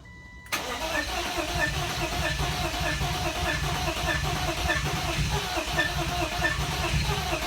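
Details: BMW E36 project car after fuel pump relay replaced: steady starter cranking with even chug for about seven seconds, never catches; intake boot and cam sensors to check next; crank no start.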